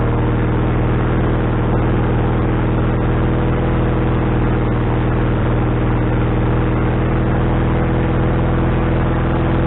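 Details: Wood-Mizer LT40HD sawmill engine just started after fitting a new carburetor, bowl having drained overnight: fast, steady hum with no dip toward idle speed; owner suspects the governor linkage is hooked in the wrong hole.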